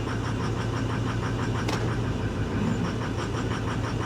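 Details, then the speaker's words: Ford F350 Power Stroke diesel, low fuel, 4x4 engages fine: lumpy, stumbling idle that stays uneven and does not clear with a little throttle; bad misfire at idle. "she's misfiring pretty bad let's see if it clears up when we give it a little throttle no it doesn't it does not clear up"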